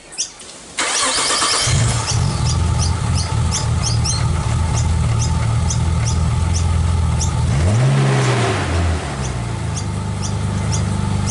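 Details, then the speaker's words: Nissan R34 Skyline being serviced before storage: after start the idle sounds lumpy and uneven, with a loping beat and a brief dip around eight seconds; a rough idle. "[Music] listen to how lumpy this thing is"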